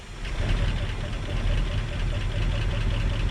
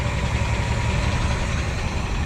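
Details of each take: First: Ford F-350 sat 5-6 years, on a low substitute battery after priming with fuel: sluggish, laboured cranking at about four turns a second that never catches, then stops; too slow, owner thinks it flooded. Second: Ford F-350 with low-mileage engine, sat 5–7 years, throttle sticking: smooth, steady low rumble at idle with even beat, no knocking, ticking or smoke; running normally.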